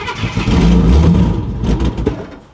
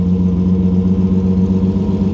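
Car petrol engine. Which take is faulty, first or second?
first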